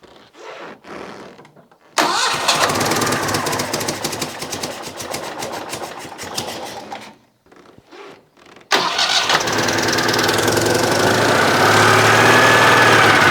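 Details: Citroën 2CV air-cooled twin, first test run after fitting electronic ignition, cold: cranks, catches, runs briefly, drops out, then restarts and settles into a steady fast idle with a faint whine overhead; idle speed not yet adjusted.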